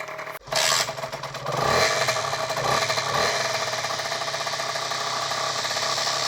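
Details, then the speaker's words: Beta RR enduro two-stroke warming up after a clutch-side crankshaft seal replacement and fresh gearbox oil: fast idle with a dry metallic buzz and rattle from the badly fitted kickstarter. "C'est le kick. Il était mal mis. Ah, il faut remettre le kick comme il faut."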